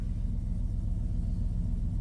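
A smooth, even low rumble at idle with no knocks or ticks on top; the engine settles down and runs normally.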